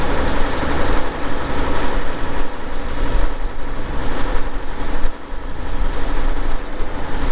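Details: 2002 Volvo G736VHP motor grader, Cummins diesel, about 6,691 hours (hour meter not working): deep, steady diesel rumble at idle, even and unbroken with no knocks or misses; engine sounds healthy.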